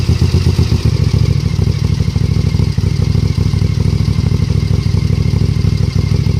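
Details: Suzuki TL1000R V-twin idling and revving with a sharp chuffing tick on each exhaust pulse that quickens with throttle; bad exhaust leak.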